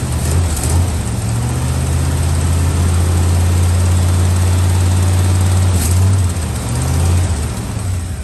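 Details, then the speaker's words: Old truck V8, cold on choke: deep, steady rumble at even fast idle, no misses or knocks, no blue smoke at startup. Normal cold idle. "this truck runs and drives not not a not it did not spit blue when this thing lit up just now it nothing no blue no nothing"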